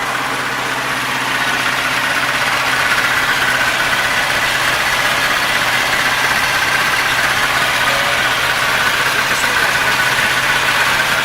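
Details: Nissan 720 pickup after reconnecting missing vacuum lines: steady idle with faint unevenness and a slight hiss, no longer crumbly, and the white smoke is gone. It smells of fuel and the owner suspects a fuel leak and a buzzing; it still needs work.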